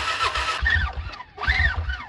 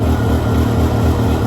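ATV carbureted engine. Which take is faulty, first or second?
first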